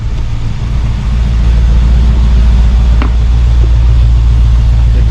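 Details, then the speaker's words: 1972 Mercedes-Benz 280SE 4.5L V8 with D-Jetronic injection, warm, idling around 1000 rpm, fuel pressure about 30 psi, checked for vapor lock after hot-start trouble: smooth steady low idle burble, no whooshing or exhaust leak. "note sounds good and let's see see if we hear any whooshing no that's good"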